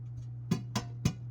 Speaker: Yeah, I can already hear it warming up, so that's good. That's a good sign.